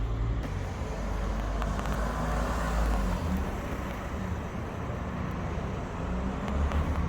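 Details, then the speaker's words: 2015 Ford Grand Tourneo Connect van, test drive around a car park right after new rear brake discs and pads were fitted: slow roll with steady engine and tyre rumble, no scraping, rubbing or squeal; the rear brakes run free, not binding. "I'll let you hear it and see the wheels turning, just to make sure the brakes work and they're not binding and all that."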